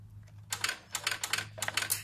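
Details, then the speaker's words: 2013 Ford Falcon EcoLPi, key on with the engine off, a red wire at the power distributor wobbled. Quick irregular bursts of relay clicks over a faint hum: a poor connection that leaves the car immobilised with transmission warnings. "I'm not sure that's the one or not, but when I try to wobbling the red wire here, I can hear the noise from a car."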